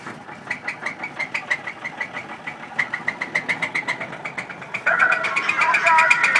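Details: 1983 Buick Regal with 231 V6, about to be pulled for a 350 V8: sharp, fairly regular knocking about four times a second over a quiet idle, engine knock, source not pinned down.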